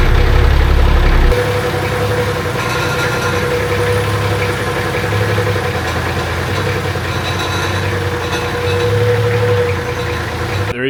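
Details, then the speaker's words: Nissan Patrol at the first start of its replacement naturally aspirated TD42 silver top diesel after long storage, with the injectors bled. It idles steadily with a dull, fairly regular thump three or four times a second; a dry water pump is suspected, not confirmed. "a bit of like a I wouldn't call it Knocking but it's kind of like a thumping sound coming from the motor I don't really know what it is but I think it could be the water pump"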